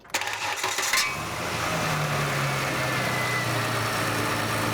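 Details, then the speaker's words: Buick LeSabre that sat a long time and wouldn't start, with exhaust back-pressure gauge fitted: catches quickly and settles to smooth steady idle; gauge stays in the green, catalytic converter good. "all right that's good this one stayed where it was supposed to stay so everything past this pressure gauge is good"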